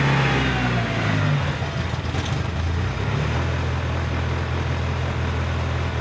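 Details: Rebuilt Mitsubishi Evo started cold in a 6°C garage: idle rises and sags unevenly, hunting and settling high around 2000 rpm; idle air control valve heard working, cause found as leaks at the inlet manifold gasket.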